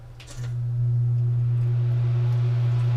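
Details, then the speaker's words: Samsung NE59J7630SG electric range after the convection reverse fan motor was replaced: the fan spins up and settles into a smooth, steady low hum with no rubbing or rattle, much quieter than the old noisy motor. "that sounds much better turn like a kitten you didn't really get it as bad on the UH it was making the noise but they got a lot louder and a lot more obnoxious than it was okay so this is a already a major improvement here"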